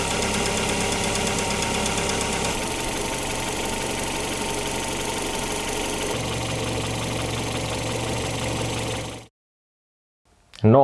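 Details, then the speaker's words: Opel Antara four-cylinder at idle while warming, additive test: steady light ticking over an even hum, no vibration, injectors clicking plus a faint extra tick; cause unclear. "Hyvin se sillä lailla käy, ettei se mitään kyllä täristä tai muuta, että ne on niinku neloskoneeksi niinku aika rauhallisesti naksuttelee menemään. Suuttimista vähän tulee ääntä ja jotain muutakin sivuääntä, mutta antaa se nyt lämmätä."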